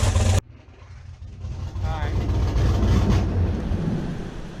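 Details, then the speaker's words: Duramax diesel idling at about 1,000 RPM with low vacuum and heavy shaking: uneven, lumpy, loping rumble; owner suspects an electrical issue affecting only one side, not mechanical; cause unconfirmed. "You know, it sounds terrible. It sounds so freaking terrible."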